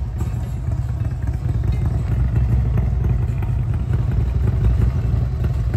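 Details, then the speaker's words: 2006 Harley-Davidson Road King upgraded from 88" to a 95" kit with ported and polished heads, tuned: deep, lumpy idle with a steady cam lope and low thumping, no knocks or ticks; quiet exhaust "sounds like it's got paper in it"; healthy idle. "sounds like it's got paper in it but I'm glad you're happy with it"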